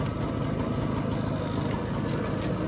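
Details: BSA Ariel 3 (K2) two-stroke moped, suspected of fuel starvation despite a cleaned carb, new fuel line and cleaned, lined tank. Warm tickover, smoking: a steady, even burble with no stumbles or surging; a healthy idle with fuel flowing properly.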